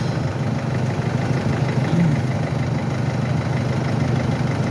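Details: Mercedes-Benz that would not start or crank despite a new battery, idling after starter motor work: low, smooth, even idle hum with no knocks or surging, light handling noise nearby; engine idles normally.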